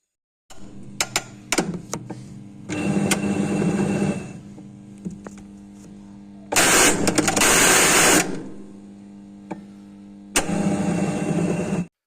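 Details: Automatic washing machine: bursts of harsh whirring with scattered clicks and knocks; the gearbox behind the rear cover is suspected, cause not confirmed.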